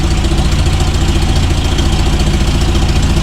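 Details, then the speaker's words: Toyota RA40 with 22RE petrol engine, cold start on a freezing day after fixing the problem: starts straight away and idles with a steady even low pulse, no misses; exhaust leak ticking noted. "started up straightaway um I'm pretty happy with that that was definitely the issue yeah well she's running really well considering it's freezing cold out here"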